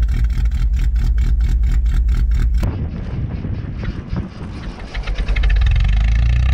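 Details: "Rescue" Tercel wagon (1983) cold start at about -6°F wind chill after sitting a couple of weeks; quick, even cranking under three seconds, then a clean catch into a steady idle; normal cold start and idle.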